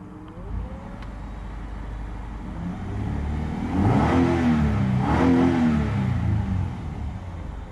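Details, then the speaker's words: 1995 Ford Explorer XLT with almost 200,000 miles: engine climbs smoothly through two rev blips and settles evenly with a throaty, steady note, no knocks; healthy engine. "yeah this one's this one's pretty pretty throaty sounds good"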